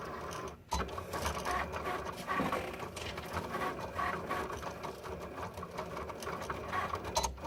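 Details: New Cricut Explore Air loading a mat: fast, uneven clicking and rattling chatter through the feed mechanism, an abnormal noise, cause unclear.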